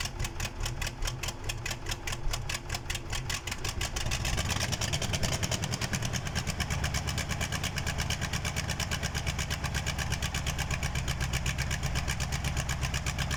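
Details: KAMAZ diesel engine's first start after a major overhaul: a few seconds of cranking, then it catches and settles into a steady, even idle with a strong low beat; normal.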